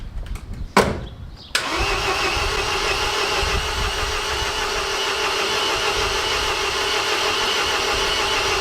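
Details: MINI R56 1.6 HDi DV6 diesel after extensive work including timing belt: steady cranking churn and starter whine for several seconds, never catching; cranks but won't start, owner suspects fuel delivery, injectors, timing belt or compression.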